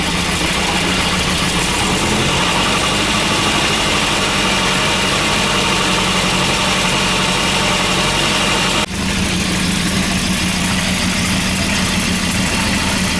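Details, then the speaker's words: Volvo B230 redblock with hard starting and rough running, after fuel pressure regulator work: loud uneven lumpy idle under steady hiss, better but still rough; owner suspects fouled spark plugs. "then still looks a little rough to me it's definitely better I think probably the engine Ms are making it seem even worse than it is but obviously it's definitely not running how it should either"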